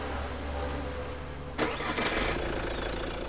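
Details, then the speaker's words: Jeep Compass after flywheel modification, repeated start and stop: steady idle, short start surge settling to an even run with no clunk or knock; earlier start noise gone. "भाई कोई आवाज नहीं गाड़ी के अंदर बात समझ रहे हो ना"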